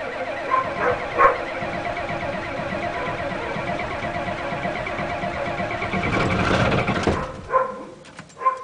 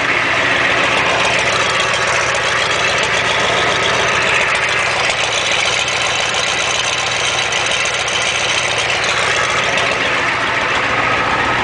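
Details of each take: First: 1987 Ford F-250 6.9L IDI diesel, cold start after sitting 5 months on #2 diesel, about 40°F, glow plugs cycled: cranking catches into a clattering, slightly uneven idle, a little rough before settling; earlier attempt failed, gelled fuel suspected. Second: 1987 Ford F-250 6.9L IDI diesel, just started after sitting 5 months, about 40°F, straight-piped as exhaust is shot: steady even idle with loud raspy open-exhaust rumble, no knocks or misses; normal diesel idle.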